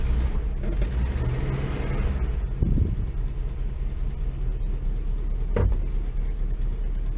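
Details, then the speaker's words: VW T2 camper van's air-cooled engine just after a cold January start in neutral, on auto choke with fuel smell, slow cranking from the battery: settles into a steady, low, even idle with no knocking; running fine. "go and have a look there we go uh they obviously have an auto choke smell a bit of fuel that is obviously on choke in a minute i'll let it warm up a few minutes"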